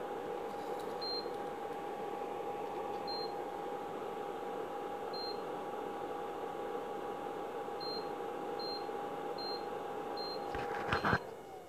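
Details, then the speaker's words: Repaired induction cooktop (twin IC LM339 + microcontroller board, 1µF 50V capacitor replaced), powered via series lamp, no pan: steady fan hum, seven short even high beeps, click as it shuts off, no error code; normal no-pan detection. "कुछ दिन ऐसा beep का sound आएगा, beep का sound बढ़ेगा और अपने आप ऑफ हो जाएगा। इसमें ऐसे मेटल सेंस करने का कोई एरर कोड नहीं दे रहा है।"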